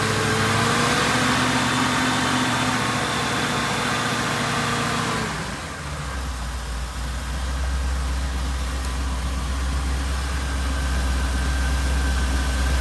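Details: Supercharged Oldsmobile Cutlass V8 after cam swap and re-gasket with new seals: settles from higher speed into a steady, deep, even idle with no knocking or tapping; healthy-sounding engine.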